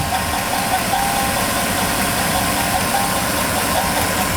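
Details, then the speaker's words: 2008 Chevrolet Tahoe GMT900 4.8L LS V8, about 177,000 miles, warmed up, heard via screwdriver against the engine from underneath: dull metal-on-metal knock under a noisy idle, seemingly from cylinder 2; mechanic diagnosed a bad rod bearing, after running low on oil. "And that's how you can kind of hear if there's metal on metal contact from underneath the engine. And it sounds like there is."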